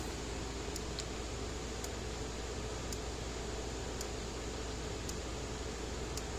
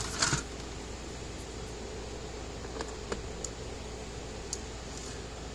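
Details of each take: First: Early-2017 American Farmworks 60-mile electric fence charger, in for repair, plugged in: light flashing and crisp single clicks roughly every second over quiet hiss, steady and even; pulsing normally, tester later shows about 8,000 volts. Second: American Farmworks 60-mile electric fence controller on the bench, loaded with a 200-ohm resistor after board inspection; sharp faint clicks at uneven intervals about a second apart in a quiet room; charger pulses but the fault wasn't found and it wasn't repaired.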